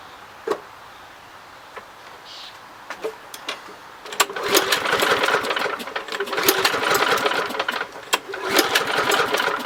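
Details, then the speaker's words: Lawn Boy model 10604, 20-inch, Kohler 6.5 149cc TRU-START engine: several pull-cord tugs with brief sputtering and rattling, never settling into a steady run; cranks but won't start, owner suspects spark plug. "hmm i wonder what the problem could be i mean it does say it's a true star commitment i mean it's supposed to start maybe it's a spark plug"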